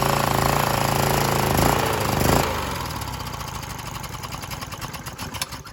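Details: Briggs 3.5 HP L-head engine off a Scag edger, after replacing the dried carburetor diaphragm, cold at about 40 degrees, air filter off: catches on choke, the loud start settling to a steady, even beat; healthy.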